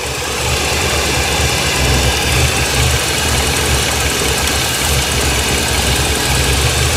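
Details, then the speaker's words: 1989 Winnebago LeSharo RV, warm engine: an uneven, lumpy, slightly hunting idle with a steady hiss. Brake cleaner revealed vacuum leaks from cracked hoses, expected to fix the rough idle. "all right like we're going to have to take this out cuz there's a vacuum leak back up in behind there so where and I bet that fixes the idle problem"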